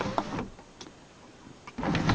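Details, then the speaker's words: 2004 Jeep Cherokee, after replacing the sunroof motor with a $25 junkyard unit, headliner refitted, key on: steady motor hum starting, pausing and restarting cleanly, no grinding or clicking; full function without calibration. "and you can see here we now have full function didn't even need to calibrate the motor"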